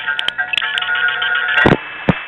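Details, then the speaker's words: 1976-1981 recording of one of the 107 register senders in the Gateway tandem office from New York City to New Jersey: steady paired signalling tones heard together with sharp relay clangs and clicks; normal operation. "the sound of one of the 107 register senders in vzy tandem 1 a Gateway office to New Jersey from New York City"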